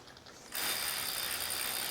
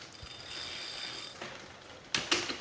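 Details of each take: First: Catrike Dumont recumbent trike on a Wahoo KICKR Core trainer, shifted to gear 4 with the chain line aligned: crisp, fast, even freehub ticking while backpedaling, no skips or grinding; normal. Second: Recumbent trike mounted on a Wahoo KICKR Core with the chain deliberately misaligned toward the inside: a rattling, ratcheting chatter as the cranks turn, ending in sharp clanks as the chain rides off the cog.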